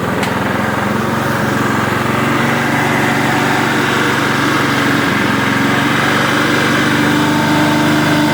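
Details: Rusted Toro Super Recycler mower single-cylinder engine, revived after years outdoors with a water-corroded carburetor, now running after primer bulb replacement. A steady, even, fast putter with no misses: normal running.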